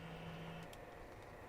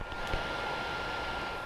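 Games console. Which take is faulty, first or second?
second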